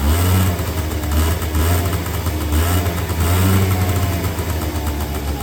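Steady buzzing run with quick throttle blips that rise and settle cleanly, no knocks or rattles; small two-stroke running healthy.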